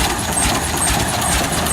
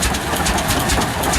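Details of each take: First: Old oil pull tractor just started at a heritage show: steady hiss over a slow, loping single-cylinder beat with faint ticks; onlooker suspects the compression release lever is still open, unconfirmed. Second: Old twin-cylinder tractor at a heritage show running: slow, even pairs of low chuffs, both cylinders firing cleanly; healthy normal running.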